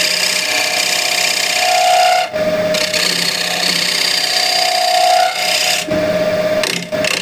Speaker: you can probably see how it wobbles and how much it's out of true so you hear the knocking sound and when you come to a Full Circle or clean everything that it's true you hear the sound changes